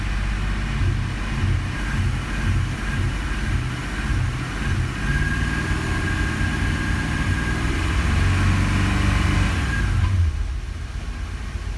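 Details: 1984 Porsche 928 Euro S V8 misfiring at about 1900 rpm while idle is fine; just above idle it runs with an uneven, stumbling beat, a mid-rev misfire.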